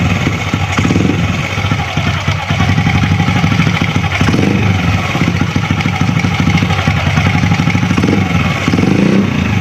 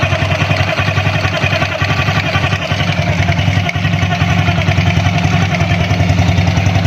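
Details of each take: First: Honda Astrea Grand after the magneto cover was opened to fix a crying "nik nik" whine from the magneto area: steady, even single-cylinder putter at idle with no extra rattle or knocking; the noise is gone. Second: Honda Grand motorcycle, engine running: thin wavering high crying "nik nik" whine over a quick regular beat from inside the magneto cover; something stuck inside suspected, noise gone after cover was disassembled.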